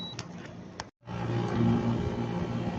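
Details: Split-type aircon whose compressor would not start because of a burnt terminal wire, now replaced: a couple of clicks and a brief dropout, then the compressor starts with a steady, even low hum and no rattle, drawing 8.1 A and cooling. A healthy start.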